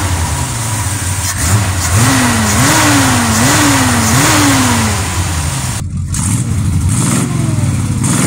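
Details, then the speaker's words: Edelbrock 1405 four-barrel carburetor engine after cleaning out debris from a failed fuel filter and fixing a fuel line and hose clamp that caught fire; vacuum advance possibly on the wrong (emission) side, new hubcap air cleaner fitted. Clean throttle blips back to a steady idle, no stumble; normal running and revving. "Got all that fixed. Runs great now. Let me show you here."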